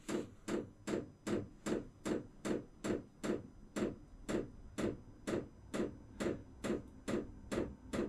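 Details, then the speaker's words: Vevor diesel air heater during its warm-up cycle: the fuel pump clicks crisply and regularly, about twice a second, over a quiet background, which is normal fuel metering before the turbine spools up. "That is the fuel pump kicking on. That clicking is pumping fuel."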